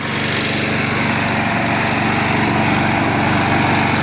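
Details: Craftsman 22-inch self-propelled front-wheel-drive mower with a 6 hp Briggs engine, running after a spray of carb cleaner and RPM adjustment while the self-propel drive is tested; steady, even buzz at constant speed with no misses or surging, running cleanly.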